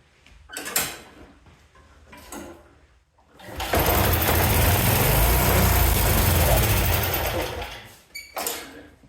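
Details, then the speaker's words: Yard-Man snowblower, spark confirmed, started on starter fluid: catches after a few cord pulls, runs rough about four seconds then dies; owner suspects a bad carburetor and plans to replace it. "Okay, so I'm able to get it started, it just won't keep running. I'm starting it with starter fluid. So my guess is the carb's bad, so I'm going to replace the carb on it."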